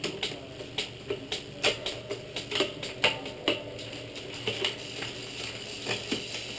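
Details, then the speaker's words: Shimano rear derailleur after B-tension adjustment to 5–6 mm pulley-to-cassette gap: light, crisp clicks as the chain steps across the sprockets, quiet with no chatter or grinding. Normal shifting. "how much quieter everything is we're ready to go ride"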